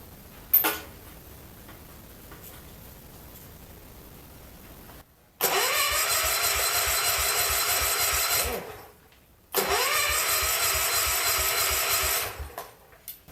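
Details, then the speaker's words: John Deere 110 garden tractor pulled from scrap, cranked with spark plug out to check compression: two roughly three-second cranking bursts with steady, even puffs each turn; compression acceptable, but no spark, suspected points problem. "I'd say she's got some compression yet that's good"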